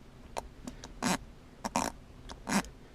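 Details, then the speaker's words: Cobb short shifter being installed on a 2008–2014 Subaru Impreza WRX, shifter set as high as possible: short rubbery squeaks in bursts as the lever moves, the shifter rubbing its rubber boot because the geometry is too tight; lowering the height stops it. "After setting the shifter as high as possible, the geometry right here is really, really tight, and if you listen, you can actually hear the rubber here rubbing back and"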